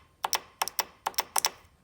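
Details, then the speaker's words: Fuel injector removed from a 1995 Ford F350 7.3 diesel, bench-tested with 12 V (10 A source, alligator clips): crisp, sharp clicks in quick pairs each time power is touched on; the injector solenoid works properly. "You hear that? Then you know it's good."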